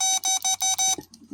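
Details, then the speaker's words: Kubota B26 no-start, seat safety switch tested with probes: four quick high beeps from the tester as the button closes, showing continuity; switch is good. "So, when I push this button, it's going to make a continuity and I should hear it. That's a proper switch."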